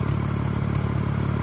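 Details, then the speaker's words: Ford Falcon AU six, revived, with plugs refitted and the engine bay nearly complete, at idle: low, even burble with regular firing pulses and no stumble, idling perfectly. "it's running idoling perfectly we done some dodgy [ __ ] as always look at that"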